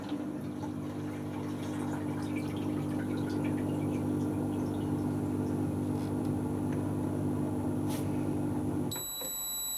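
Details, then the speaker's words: Hotpoint Aquarius+ FDW70 dishwasher on a test wash after a faulty part was replaced. The drain pump gives a steady low electric buzz for about nine seconds, then cuts off cleanly, so it works normally. "Is it, you can hear the buzzing? Oh, so the drain pump works."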